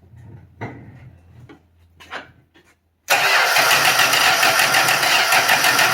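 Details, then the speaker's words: 1966 Dodge Dart 225 slant six, new cheap Autolite-style single-barrel carburettor gushed fuel: weak, broken cranking bursts, then it catches abruptly into a loud, rough fast idle, clearing the flood with choke closed; needle/seat or float suspected. "you got to that choke open flooded yeah it's well it flooded when it flooded and then yeah now the chok's closed flooded clear the flood"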